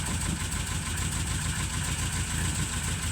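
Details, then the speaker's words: 1936 Rover 12 tourer, first start after winter layup with the head cleaned last year, cold with oil pressure at 20 rising toward 30 when warm; low, even idle with a soft steady beat and no knocks or misses. Normal cold idle. "Um, I did clean the head last year and it does seem to have made a a nice difference on starting. It's always been a good starter. It certainly is now."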